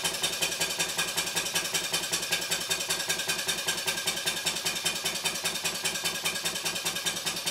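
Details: Stuart 5A or S50 model steam engine on the bench, run on compressed air from a Bambi BB50D compressor switched off before the run: crisp, even exhaust chuffs about 2.5 per second with a steady beat. Normal running.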